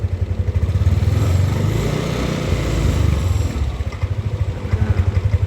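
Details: Yamaha Aerox scooter before repair: starts easily and idles fine, but on opening the throttle it has no power and feels weak and sputtering, with uneven surging and sagging pulses. Attention was first on the TPS and throttle body.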